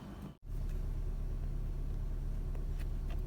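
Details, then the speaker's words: Nissan Pulsar Sylphy with check-engine light, code P0302 and shaking rough idle: after replacing the leaking cylinder 2 ignition coil, engine settles to a steady, even smooth idle with no stumble or shake. "หลังจากที่ผมได้ทำการเปลี่ยนคอยล์ของสูบ2เรียบร้อยแล้วนะอ่าอาการเครื่องสั่นก็หายไปแล้วนะครับ"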